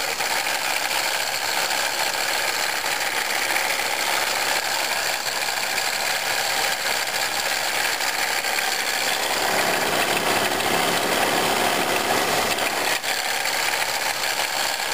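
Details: 1997 Pontiac Grand Prix GTP supercharged engine at idle: dry, uneven rattling/grinding from the supercharger area, louder in Drive and gone on acceleration; worn supercharger coupler confirmed as the cause.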